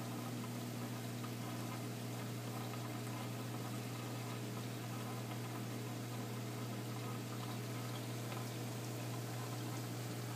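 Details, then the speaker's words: Aquarium protein skimmer pump switching back on after a coded delay during the automatic water change, filling with water: low steady hum with gurgling water, even run with no rattles. Normal skimmer operation. "As you can hear, now that that time has elapsed and it is safe for the skimmer to turn back on, the skimmer is now turned back on and is filling with water."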